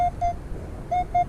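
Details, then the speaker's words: Metal detector swept close to a metal pole with a target (a penny) nearby: short mid-pitched beeps cutting in and out, about five in a second and a half; normal detector signal from the pole. "Okay, here's a good example of the metal pole giving us a signal when we get too close to it, but there's also a target really close to that."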